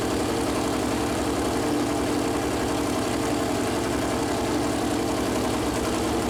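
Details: Freshly built Chevy Performance 454 big-block on run-in stand, first start, warming up: loud steady V8 idle with even lumpy pulse, no knocking or ticking; plastic oil-gauge line later hit headers and leaked oil; normal idle.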